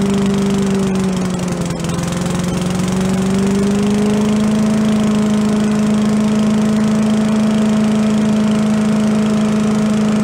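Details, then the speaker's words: Commercial walk-behind leaf blower bought not running with carburetor problems (shut-off not shutting off, flooding), after carb work and air cleaner refit: small two-stroke settles from a slight wobble into a steady, high, even drone, blowing some smoke; normal running. "I got the air cleaner back on tweak it one more time we let it run a little see it's blowing some smoke but that may just be for first-time Z's"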